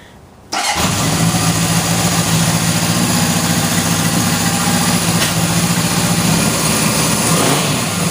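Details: 1977 Honda CB750K after sitting years, battery charged: catches after short crank and settles into smooth even four-cylinder idle with no knocks or misses; runs healthy.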